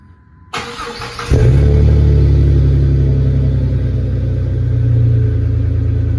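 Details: 2004 Jeep Grand Cherokee 4.0, first start after welding in a new Flowmaster muffler and tailpipe (old tailpipe rusted off at the hanger), THOR cold air intake: starter whirs, engine catches cleanly into a deep, even idle, no rattles or leaks; normal exhaust note.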